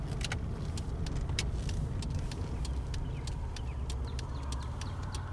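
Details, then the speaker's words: 2003 Pontiac Grand Am GT after new front pads, rotors and a replaced brake caliper, while braking on the road: only low road rumble, no squeal or grinding. Quiet, healthy brakes. "so yeah we're on the brakes i hear nothing"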